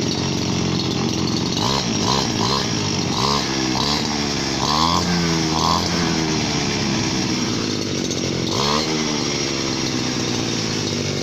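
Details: 8-year-old Chinese 411 two-stroke brush cutter, owner wanted a rebuild but the mechanic declined; it runs steadily with quick throttle blips, revving cleanly and evenly. Healthy engine.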